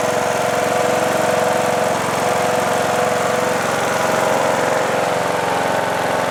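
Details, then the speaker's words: John Deere D110 lawn tractor with swapped replacement engine, after about 10 minutes of running: even, steady putter at fast idle, no misses or knocks, faint light ticking; engine sounds good, smoke at startup has cleared, valves may need adjusting. "All right. Well, it's been running for about 10 minutes, and I'm very happy about this. Gave us a little puff of smoke at startup, but it's not smoking now. I'm really pleased. The engine sounds good."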